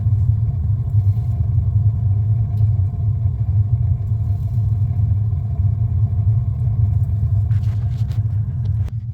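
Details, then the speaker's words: Newly installed 50-gallon A.O. Smith gas water heater, replacing a sediment-clogged unit, first firing: deep, steady, even burner rumble with no sputter or popping. Flame briefly changed as air purged from the line, but it heats normally. "It is getting some air out of the line, which is why you saw the flame kind of change, but it is heating. Happy days."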